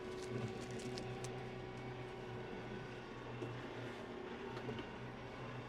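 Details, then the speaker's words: New Claas Axos 3120 compact tractor at a field headland with a mulcher attached: steady diesel drone holds through the power shuttle direction change with no clunk or bang; reverser engages smoothly, normal. "Revers dobrze działa. Revers działa płynnie."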